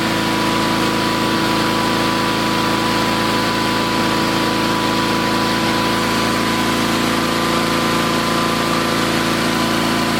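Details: Old Onan engine just after replacing points and condenser, at half throttle: even steady putter, no popping, sputtering, backfires or arcing; runs smoothly, carburetor needs slight fine-tuning.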